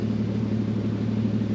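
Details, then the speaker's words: 1949 Chrysler after repair, heard at the exhaust: the muffler that was blowing was removed and a glasspack fitted in the middle. Low, even, smooth burble with a steady beat and no puffing or leak noise; normal exhaust note. "sounds good on the muffler we ended up taking that muffler that we put on there back off because it was just blowing all over the place and we put a glass back in the middle of it and it sounds really good actually really smooth sounding"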